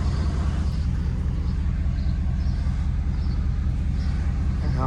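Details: Ford F-250 6.7 L Powerstroke diesel after fuel filter conversion and key-cycle priming: deep steady idle rumble at about two and a half pulses a second, no misses; healthy after starting fairly easily.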